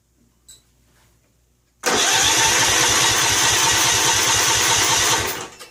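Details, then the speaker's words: Snapper Hi-Vac commercial mower, around 1988, Robin/Wisconsin engine, on choke with gas squirted into the carburetor: starter spins steadily for about three and a half seconds with no firing; owner suspects fuel isn't getting in, not confirmed. "It's like it's just not getting anything in there."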